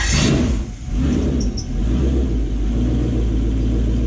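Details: Gen 1 non-VVTi Lexus 1UZ-FE V8 with Link ECU in a jetboat, after repair of running on only 6 cylinders: deep full-bodied rumble that climbs and settles cleanly on throttle blips, no stumble or miss, pulling evenly on all cylinders.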